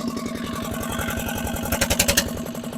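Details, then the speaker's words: Barn-find single-cylinder diesel dumper running with no exhaust fitted: fast, very loud chugging with hard clattery beat, very smoky and revving high; rough running, owner suspects injector fault. "I definitely need to get that exhaust on that was absolutely Bonkers loud"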